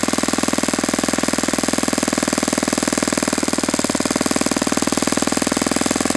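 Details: Saito FA-91S model four-stroke glow engine on test stand, cool 60°F day, now on Fox Miracle glow plug after earlier rough start: crisp, rapid, evenly spaced firing at steady rhythm, no stumbles or misses; beautiful, normal running.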